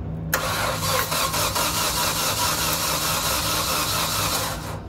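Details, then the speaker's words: Caterpillar with 4G63 engine, no-start reported as low compression on all cylinders: even rapid cranking about five seconds, never fires; electronic throttle plate suspected of not opening, causing intake restriction. "one thing i want to look at is this throttle plate is it opening i've seen it before that if it doesn't open because this is an electronic throttle if it doesn't open then basically it's an intake restriction you're not gonna be able to take in any air so"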